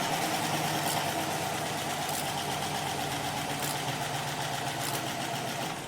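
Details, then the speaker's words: 2021 Chevy pickup, 6.2 V8, first test start after a full mechanical DFM delete: idles with a light, quick lifter tick from the dry valvetrain at startup, plus an unfamiliar thunk. Oil and fuel remnants are burning off the manifolds. "It had a weird thunk that I'm not used to hearing. It kind of made me go, "Oh boy, do I need to do something." But it does still have a little bit of a ticking."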